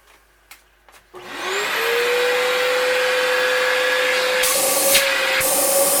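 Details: Electrolux Epic 8000 vacuum (1997–98 model), after its broken-bearing motor was replaced with a modified generic motor. It spins up in about a second to a clean, steady high whine. Normal running after repair.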